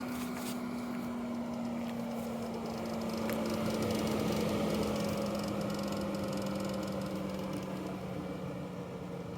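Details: Tesla Model 3 Long Range front cabin vent: light clacking rattle over blower hum, present at start-up, gone at full speed, loudest as the fan winds down to stop; reproducible with pre-heating while plugged in.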